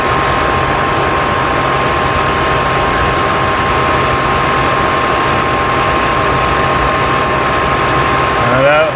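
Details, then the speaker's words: 2020 Ford Escape at startup after replacing both coolant temperature sensors for code P1299: the radiator fans kick straight on at full speed over a quiet idle, because the computer still reads a false overheat; clearing the code then fixed it. "As you can hear by the fans kicking on and it still thinks it's immediately"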